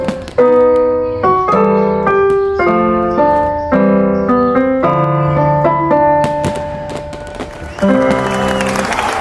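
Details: California GM650 keyboard after repairing its broken power input port and cleaning the hoarse, noisy pitch bend/modulation control with quick-drying spray: clean piano notes and chords with no crackle; working normally.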